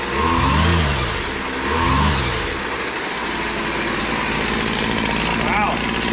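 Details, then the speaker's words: Model BC 2500 LE weed eater, long-sitting, after retightening loose head that lost compression and unkinking primer line, choke on: small two-stroke fires, revs twice, settles into steady buzzing idle; runs fine. "It's even idling. That doesn't happen very often."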